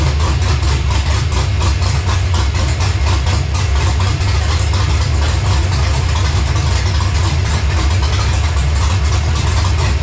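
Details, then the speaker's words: LS-swapped Monte Carlo on an ACES Jackpot LS EFI system, first startup: deep, choppy, loping V8 idle, a big-cam idle running as it should. "you didn't think it was going to talk like that did you"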